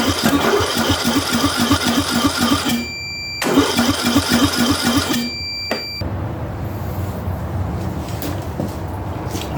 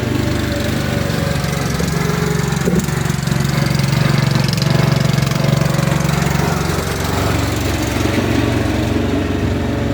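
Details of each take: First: Ariens/Husqvarna riding mower engine cranking in two bursts without catching, even with starter fluid; the compression test read about 45 psi against 90+ good, leaking down; low compression, and the head gasket was replaced. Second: Ariens/Husqvarna riding lawnmower single-cylinder engine after revival with a new carburetor, intake manifold, head gasket, flywheel, battery and ignition; steady, even chug with no knocks or misses, running healthy.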